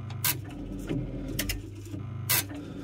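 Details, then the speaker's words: Chaffoteaux & Maury Nexia boiler after circuit board repair, showing unknown faults: sharp irregular clicks from chattering relays and water-hammer-like knocks from the heating/hot water diverter valve; loose contacts suspected. "Des espèces de coups de bélier. Mais on entend surtout les relais là qui font chier."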